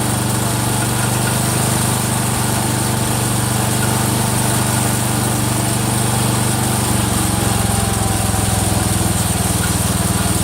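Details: Freshly rebuilt Kohler single-cylinder engine in a Cub Cadet 102, running steadily with a light repeated click from the front pulley, which is coming apart; the rod is not loose.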